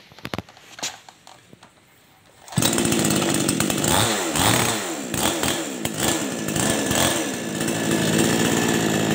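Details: Chainsaw type 5800 with 22-inch bar: starts after a few pulls and runs unevenly, pitch rising and sagging as it sputters and bogs, from a poorly adjusted carburetor air/mixture screw, fixed by turning the screw.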